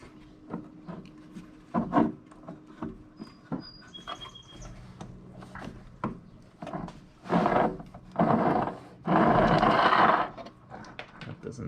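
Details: Honda mower whose wheels lock up when pushed: dry, gritty scraping and rubbing in uneven bursts as the drive axle is pushed through by hand.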